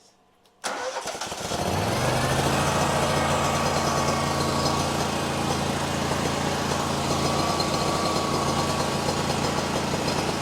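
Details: Machine that failed to start, jumped from another battery: brief crank, then it catches and settles into a steady, even idle with a low hum; it starts fine, so the battery is bad again.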